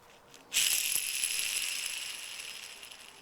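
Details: Old MGB rear wheel bearing, removed without a press, spun by hand: a dry, gritty rattle as it slowly runs down, a worn-out bearing, unlike the silent new one.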